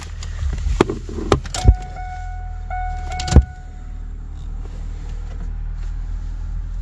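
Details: 1996 Pontiac Trans Am LT1 small-block after replacing the crank sensor and clearing codes: after a few clunks and clicks, a steady low even rumble settles in with no knocks or misses, a smooth idle.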